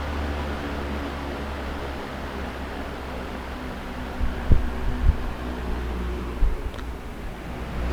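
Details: Mid-1970s Manning Bowman 3-speed box fan with new cord on medium: steady even low hum and air rush, no ticking, rubbing or wobble; runs smoothly and sounds healthy.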